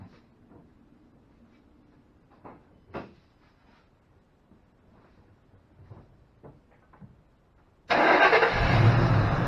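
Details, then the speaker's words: 2005 Ford Mustang GT after installing a new Ford OEM sensor replacing a cheap aftermarket one: clicks, then a clean strong start and even run; fuel pressure about 33 psi, within 33–35 spec. "sounds pretty good fuel pressure looks good within specs 33 to 35 i think is factory spec we're running about 33."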